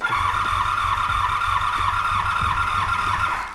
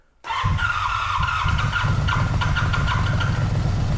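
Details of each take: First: 1985 Honda VF700 Interceptor V4 after a spritz of starting fluid: steady cranking with uneven catches that never pick up into a run, then it winds down; owner suspects empty float bowls and old gummed ethanol fuel, unrun for an unknown time. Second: 1985 Honda VF700 Interceptor V4, first start after sitting, firing on all four with a little two-stroke fuel added; catches and settles into a steady low rumble with even pulses, no knocking yet; normal running.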